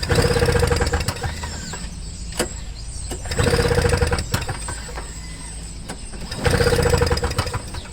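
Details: Toro Snow Commander snowblower with a flooding carburetor: engine catches in short bursts of a second or so on squirts of carburetor cleaner, then dies each time; starving for fuel, carburetor to be removed.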